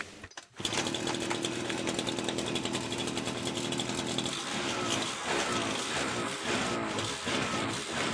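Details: FCO Stark 38 two-stroke string trimmer that stalled when opening throttle, after fixing an air leak in the fuel line from tank to carburetor: high, steady buzz without stumbling; normal running after repair.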